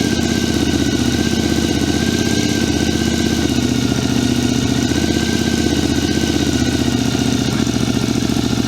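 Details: 2006 Triumph America after patching a cracked five-piece airbox lid: steady, even idle with smooth low beat, no rattles or hissing; air disturbance felt at intake; normal idle.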